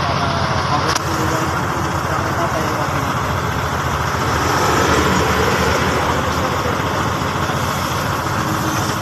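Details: Hino P11C diesel after a no-start problem was fixed: steady even low chug around three to four beats a second beneath traffic noise, runs smooth. Normal idle.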